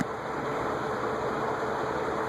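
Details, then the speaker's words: Venton (VEC) 48 in cast-iron industrial ceiling fan, likely 1970s or earlier, on high speed: soft even whoosh with a faint motor hum, no grinding or ticking, and no bearing noise. Runs smoothly. "no noise on high it's a little bit of motor noise but no uh bearing noise"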